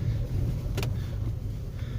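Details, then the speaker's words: Opel Mokka driven over the same dips and bumps after replacing both stabilizer links: only low road rumble and one short rattle, no repeated clunks or knocks; suspension knock fixed. "стука нет ремонт выполнен"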